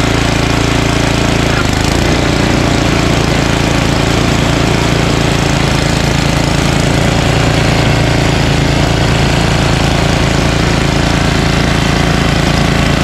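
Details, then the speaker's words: Ariens ST1128 28" dual-stage snowblower with 11HP Tecumseh Snow King engine, after carburetor cleaning and pilot jet fix for surging, cold day, throttle up. Despite an apparently ~5HP carburetor, it holds one steady speed with an even, rapid beat and no hunting: steady running without surging. "absolutely beautiful the pilot jet fix always fixes the surge and i was wrong even though i think that's a five horsepower uh carburetor as you can clearly see it runs absolutely perfect"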